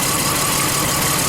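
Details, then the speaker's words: Lexus RX300 with check engine light, coil unplugged one cylinder at a time at idle: lumpy, stumbling idle with no change in note, so this cylinder is dead from a failed ignition coil. "Nothing, man. So something's going on here, obviously. This cylinder, something on this cylinder is not operating properly."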